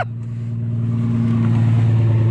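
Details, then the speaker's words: BMW 7 Series V12 with straight-pipe exhaust, first start after sitting unused and getting a new battery: deep even exhaust rumble swelling smoothly as revs climb, no knocks or misses; normal running. "have never been happier to hear the sound of a straight pipe v12"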